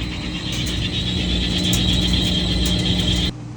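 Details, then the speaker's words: Whirlpool Cabrio top-load washer in spin mode, throwing an F2 error code: loud, steady high-pitched squeal over a low drum rumble from a cracked clutch assembly, before clutch replacement. "Does your Whirlpool Cabrio sound like this in spin mode?"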